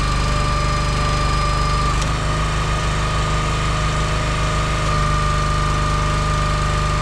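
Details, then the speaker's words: Engine-driven log splitter with two-stage hydraulic pump splitting wood: small engine drones steadily, pitch dips about two seconds in as the pump takes load and shifts to second stage, normal. "You can hear it when it goes into that second stage. It'll slow down, and then it just reinforces itself and starts pushing even harder."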